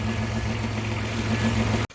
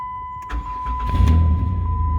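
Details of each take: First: 2006 Chrysler Town & Country van idles steadily with a low hum after alternator replacement; earlier bad alternator whine gone, new alternator producing 14.4 volts. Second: 2006 Chrysler Town & Country van at idle: steady high-pitched whine from a bad alternator, with some clicking too; alternator was then replaced.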